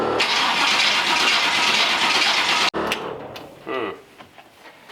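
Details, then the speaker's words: Small-block Chevy in C10 truck with 700R4, during carb tuning: fast even starter whir for about three seconds with no firing; cranks but no start, owner suspects the distributor and checks it. "sounds like we're not hitting at all let me check that distributor"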